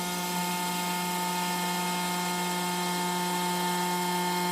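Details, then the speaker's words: Grundfos SQ-series 3" submersible well pump (SQ190/SQ200, customer return) on test tank, throttled to about 120 PSI and near deadhead; steady even hum with fixed whine, no surging or rattle. Pump healthy under high pressure, drawing only 4 amps. "and see that's 120 right there it says zero so I've deadheaded"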